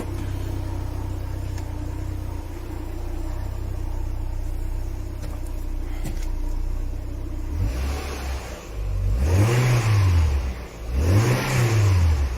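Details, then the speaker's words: Citroen BX diesel, rusty project car being revived, exhaust sooty from diesel. A steady idle, then two sharp revs with a coarse, tractor-like bark; the exhaust sounds far louder than the owner remembers, cause unclear. "That exhaust sounds louder than I remember. Ooh, I'm not sure I like that. I thought it sounded quite subdued before, but that's that sounds like a tractor."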